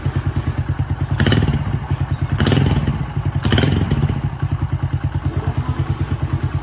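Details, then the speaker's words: Honda Wave 100/125 motorcycle with a crankshaft that rocks side to side, after a new cylinder, piston, rings, cam chain and tensioner, valves set by feel: steady, even low putter with a regular beat and a few brief thumps. Normal idle. "การตั้งวาล์วที่ถูกต้องนะครับถ้าถ้าตั้งถูกเี่มันจะเงียบเงียบเงียบแล้วก็ถ้าระบบวาล์วดีระบบคาร์บูเรเตอร์ดีเครื่องยนต์ต้องนิ่งครับ"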